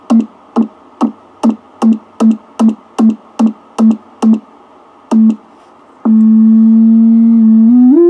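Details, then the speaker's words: Transistorized (solid-state converted) Heathkit VF-1 VFO keyed through the receiver: clean, pure steady tone beeps with no hum, then a held note gliding upward while tuned; more stable, less drift than the tube model. "Okay, I'm going to set up and key the thing so you can hear the pure tone. Alright, here's the tone of the transistorized model."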